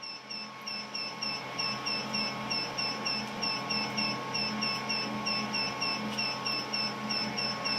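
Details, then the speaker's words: Smart switched power distribution unit demo box drawing 3.2 amps after AC fans switched on; high piercing beep repeating about three and a half times a second without letup, the critical overload alarm. "we should be logging that we have a warning and a critical and you can see at the bottom here you have zero normal 0 and warning and we have one incredible"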